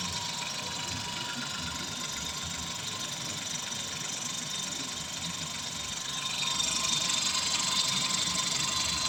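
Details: Kia Stonic 1.0 T-GDI three-cylinder idling evenly with a light steady whir and tick, no growl or rumble from the belt-driven parts; sounds healthy. A worn AC compressor bearing was the problem, replaced along with the water pump and belt kit.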